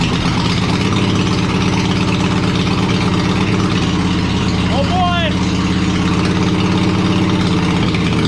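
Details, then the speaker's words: Small tractor engine run on choke with the muffler removed, after teardown and repaint: loud, raw, rapid popping exhaust note holding steady at fast idle with no muffling; open exhaust, no muffler. "So I'm wondering what it sounds like without the muffler on it."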